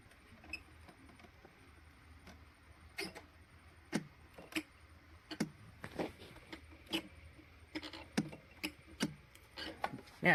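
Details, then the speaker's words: 24 V electric mower on a lithium replacement battery (40 A BMS), key in, switched to mow: sharp dry relay clicks about once a second with no motor spin-up or blade turning; owner suspects the BMS cannot handle the roughly 70 A start surge. "you hear something's happening, like a relay's been triggered or something, so the power's getting to it, just not turning the blades."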